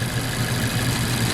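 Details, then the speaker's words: 2014 Mazda CX-5 2.0L, about 140,000 miles, rough running with no codes: lumpy idle with a regular stumble; unplugging coil packs shows no change on cylinder 2, a dead misfire from a bad spark plug. "I definitely got more shaking with that one this one I have no change at cylinder number two so we got a dead mess until under"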